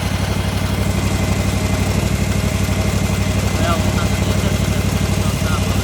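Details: Gravely ZT/HD 44 hydro mower engine warming up at idle before oil and filter change, after fan and belt replacement and new battery; steady low-pitched regular pulse, no knocks or squeals, normal.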